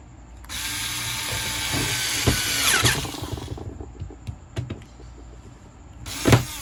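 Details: Angle polisher originally making a strange noise, after it was opened, cleaned, regreased and reassembled. High whirring spin-up runs evenly then winds down, with no grinding or scraping. Normal running after repair.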